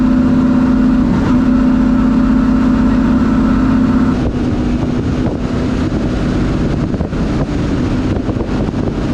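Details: Ford Thunderbird NASCAR stock car (Hooters) on test drive after refitting the starter and re-gasketing/tightening the headers: loud, steady V8 drone under way, easing off partway, pulling cleanly with no misfire or knock; runs great, plenty of power, normal running.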